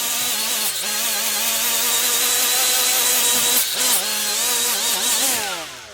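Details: Milwaukee 90-degree die grinder (part 2485-20) with a Scotch-Brite surface-conditioning wheel removing gasket: high steady whine sags briefly each time the wheel bites, then recovers and spins down; running fine.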